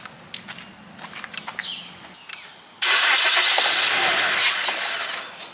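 A few quiet clicks, then the engine catches at once and settles into a strong, even run with no stumble.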